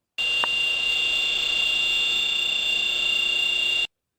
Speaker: This whine, often accepted as normal, comes from the variable frequency drive controlled motor where the bearings have become fluted.